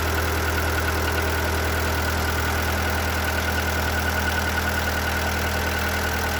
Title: Seat Ibiza 1.4 BXW engine knock/ piston slap